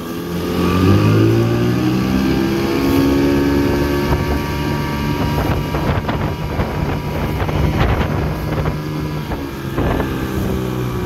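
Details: 1984 Evinrude 6 hp two-stroke outboard at high revs on a lake test, after washed-out crankshaft splines were replaced with a machined hex-socket drive: a steady, even buzz under heavy wind noise, with no misses or surging. Healthy, up to 14 mph.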